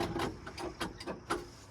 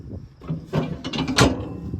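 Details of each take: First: Old International crawler diesel: sluggish, uneven cranking at about four labored turns a second that never catches; the battery was drained after the battery shutoff was accidentally left on. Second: Old International crawler/loader diesel, fluids checked beforehand, transmission fluid slightly low: clunks and cranking, then it catches quickly and settles into a firm steady rumble.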